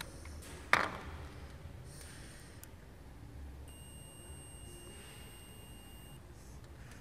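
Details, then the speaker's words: 2003 Ford Fiesta 1.4 TDCi seatbelt pre-tensioner connector, airbag codes B1877/B1881: multimeter continuity check gives one steady beep of about 2.5 seconds as the shorting bar closes the pins, as it should. "so I will check for continuity between the pins it must give it must here for some resistance between them"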